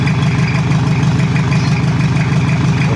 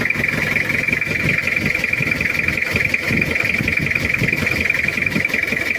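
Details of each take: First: Toyota Kijang diesel that burns oil and has leaking compression, awaiting overhaul, not yet at working temperature, oil pressure normal: even, steady low-chug idle, no knocks or rattles, sound still okay for now. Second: Cold Toyota Kijang diesel idling with a limping, uneven knock and puffing under a steady high hiss; glow plug problem, leaking compression, burns oil, due for overhaul.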